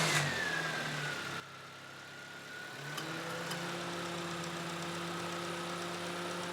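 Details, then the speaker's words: Toyota Matrix after a new alternator, belt and pulleys: catches and settles into a steady, even idle with faint belt whirr, no knocks or squeal; normal running. "Alright guys, everything is buttoned back up and it is smooth running."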